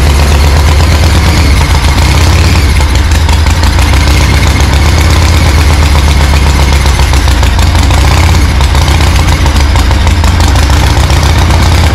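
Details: 1974 Harley ironhead chopper, unrun 15 years or more, fresh oil, no exhaust pipe: loud heavy uneven lumpy V-twin thump, no clear knock, blasting out debris as it clears itself.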